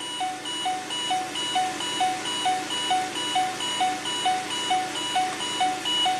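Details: Mercury Mountaineer after ABS CAN circuit repair, engine started: steady two-tone chime about twice a second without letup with Service RSC warning; junkyard ABS module not programmed correctly, needing Ford As-Built calibration data.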